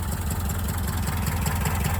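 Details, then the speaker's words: 1984 Subaru Brat (84 or 85) EA81 flat-four, sat about 10 years, now revived: low steady burble, even firing, no misses or knocks, hardly smokes; timing a little off; normal idle. "She runs like she was never parked. She's firing on all cylinders. Her timing's a little off."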